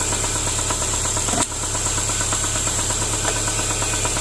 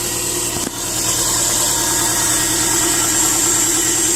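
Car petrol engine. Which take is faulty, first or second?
first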